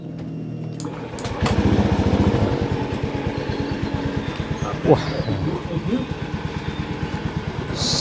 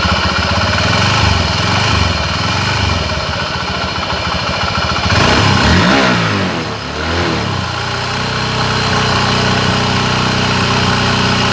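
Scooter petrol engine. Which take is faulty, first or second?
second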